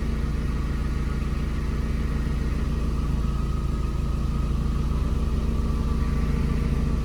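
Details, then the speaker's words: VW Gol G4 with hydraulic power steering at idle: steady low idle with a faint constant groaning hum that stops while the steering wheel is turned and returns when released; power steering pump suspected. "Perceba aí, pessoal, quando eu mexo o barulho para, ó. Mexi, ó. Parou, ó. Soltei o volante, ó. Continua."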